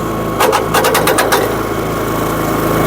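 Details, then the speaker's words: SuperSplit kinetic flywheel log splitter with a high-revving small engine and fast ratcheting clacks about eight per second; the rack skips when the lever isn't yanked up firmly, and lower RPM helps avoid it. "now listen watch this I'm going to make it skip I'll make it skip by not raising it up for"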